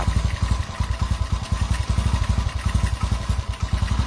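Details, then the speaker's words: Honda CG110 rebuilt and upgraded to 125cc, 5-speed, first start before valve adjustment: uneven stumbling low thumps, barely holding idle, loud carb intake noise; ignition timing unset and carburettor not yet cleaned, hard starting; rough running. "อ่าระบบไปผมยังไม่ได้ตั้งนะครับก็จะติดยากหน่อยนึงแล้วก็คาบูยังไม่ได้ล้างนะครับ"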